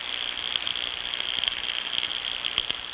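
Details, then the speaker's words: Ultrasound recording of a 30 amp circuit breaker feeding a server inventory control system. Steady frying buzz with irregular sharp crackles and pops over hiss, indicating tracking across the breaker. "well that is a 30 amp breaker you ever think you got tracking on a 30 amp breaker you think that can happen oh absolutely you better believe it"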